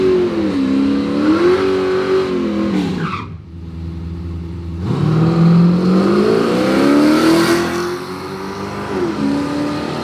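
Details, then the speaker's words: V8 revving up and down at a drag-and-drive event, with a buzzy metallic rattle on the exhaust note from butted exhaust pipe joints that lack a clamp and are temporarily zip-tied. Exhaust pipe rattle. "We're gonna get some big zip ties and zip tie 'em, but they're still rattling, making all kinds of noise. So if you hear crazy noise, it's a stupid vent."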